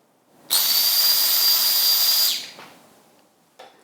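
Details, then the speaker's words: Stock in-tank fuel pump of a Barra-powered BA Falcon: a loud, high, hissing whine for about two seconds that winds down when switched off; an overly noisy pump that sounds off and is likely failing. "If you're ever in your car and your fuel pump is that loud and sounds a little off, there's a good chance that your stock pump is on the way out."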